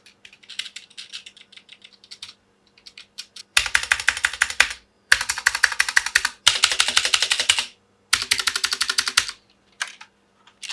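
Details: Noisy Magic-Refiner MK16 mechanical keyboard, due for modding with switch lube, foam and stabilizer fixes: loud, bright clacking from fast typing with a hollow, rattly edge to the keystrokes.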